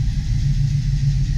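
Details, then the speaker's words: 1972 Chevy Nova SS V8 with new FiTech fuel injection, fresh oil change, just after cold start at 44 degrees; steady even V8 burble at idle with no knocks or ticks, oil pressure good, run briefly to circulate oil. "the cool thing is I got my oil pressure we're back forty years I don't want this to run too long it does steep but I just want to run long enough get the oil to circulate a little bit"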